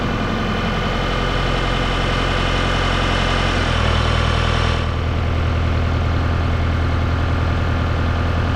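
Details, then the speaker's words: John Deere 4600 compact tractor diesel, running after thermistor replacement for a long-standing crank-no-start (owner suspects thermistor was the cause): steady, even low rumble with a smooth speed step, no misses or knocks; running properly. "Look at that. The tractor works. Maybe it was a thermister after all."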